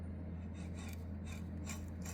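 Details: 1979 Shopsmith Mark 5 quill being hand-turned slowly in a quiet room: dry gritty rasp repeating each turn with visible wobble, unlike the near-silent new quill; rough worn bearing, quill being replaced.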